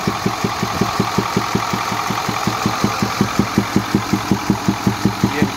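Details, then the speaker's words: 2010 Ford F-250, 6.4 Power Stroke diesel at idle: a sharp, regular compression knock about three per second, heard at the passenger-side intake air filter; it disappears at high rpm. A pushrod lifter or damaged rocker arm is suspected. "se viene a escuchar aquí en el filtro de admisión y bien una vez escuchado lo anterior me da la impresión de que puede ser algún levantador de las Varillas de empuje de los balancines o posiblemente puede ser un balancín también que esté dañado"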